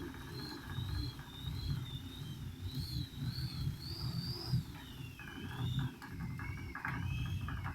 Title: arion digital knocking sound 2